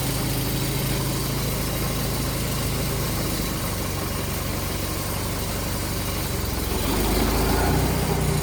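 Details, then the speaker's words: 1951 Allis Chalmers WD tractor, rescued from a farm, after cleaning and service: old engine chugs at a steady even low beat, picking up slightly near the end, no clunks or rattles it used to have; normal engine running. "Alice WD is back together. That sounds so much better already. These things used to clunk and rattle."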